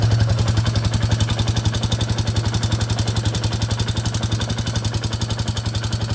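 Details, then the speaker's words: 2001 Yamaha Warrior 350 with bad engine knock, after a short ride: heavy steady knock about four per second over low idle thump; owner suspects timing chain; loose valve clearance found. "all right so just took it for that little ride as you can hear it's knocking pretty bad um it does sound like it might be the timing chain i'm not 100 sure"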